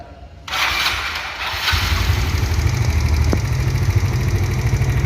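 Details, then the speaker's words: Automatic scooter engine starting and idling with a light, steady klitik ticking over the low hum; loose valve clearance or a damaged tappet suspected. "Assalamualaikum Pak Man ini motornya ini sangat berisik mesinnya kalau dinyalakan tubuhnya klitik-klitik coba dinyalakan"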